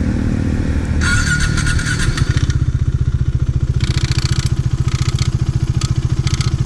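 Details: KTM Duke 390 single, noise that began suddenly mid-ride: steady thumping with a metallic clatter riding over it in bursts; faulty cam chain tensioner, replaced.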